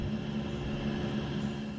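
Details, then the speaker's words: Rinnai tankless water heater after cleaning carbon buildup on heat exchanger (error codes 10/11/12), firing with no codes, recorded outside at the vent: smooth even fan whirr with steady low hum, no rattles or surging; normal exhaust blower. "And here we are outside, and that's blowing all the gases. And that's blowing all the gases and everything out."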